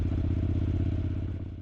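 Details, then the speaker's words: Honda NC750S with nearly 110,000 km, stopped during test ride, PGM-FI warning light intermittently on: steady idle with fast light rattle on each firing pulse, easing slightly when warm; suspected wear clearance, before engine overhaul. "However, when stopped, you can hear a "rattling" sound from the engine, which is worrying. The sound subsides a little when the engine warms up, so it may be related to clearance (gap) due to wear of parts."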